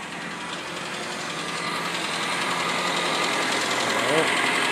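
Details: 1997 Saturn SC2 on a cold start after sitting a while, idling rough with a faint, regular knock about three to four per second. It started after the car was first taken to higher RPMs since it was bought about six weeks ago; cause unknown.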